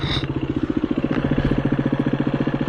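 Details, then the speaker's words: KTM 350 EXC-F or Husqvarna FE350 trail bike coasting down a rocky lane: fast, even clicking over the single's steady beat; rider suspects a stick caught somewhere or a broken spoke; the clicking then stopped, cause unconfirmed. "theoretically it's no different than I've got a stick or something stuck in somewhere because I can hear it clicking."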